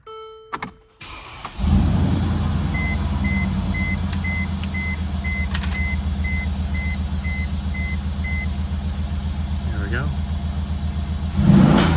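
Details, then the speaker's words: 2014 Mercedes CLS 550 (W218) 4Matic, first start after replacing the dead primary battery with a Diehard AGM H8; the exhaust has its resonators removed. Chime beeps, a brief crank, then it catches straight away into a steady, even idle. "All right, everything's kicking back on, which is a good sign. This thing wasn't showing any signs of life before."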